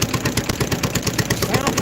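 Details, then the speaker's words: Newly bought used stationary engine with a governor, just cleaned out and started on choke only: even, quick chuff about nine beats a second, no knocks or misses, barely smoking; normal healthy running. "really good it can't have any hours on really it didn't hardly smoke at all"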